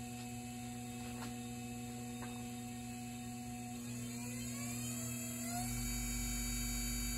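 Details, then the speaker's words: Treadmill motor on an SCR voltage controller power supply: pulsing at lowest RPM, but turned up the steady hum rises smoothly and the pulsing goes away; normal, smooth running at higher speed. "But we turn it up, smooths out, goes away."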